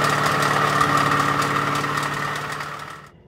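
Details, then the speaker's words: Small-block Ford 302 budget build with GT40P heads, Isky hydraulic flat-tappet cam and lifters, during cam break-in: a sharp, regular knock about four times per second over the engine note, then shutdown. Bad rod or crank bearing; at least one lifter also suspected lost. "There's definitely a bad rod bearing, crank bearing, something in there. And anyways, I don't know if you could hear from the video clips I had of the motor running and breaking in. It just didn't sound good."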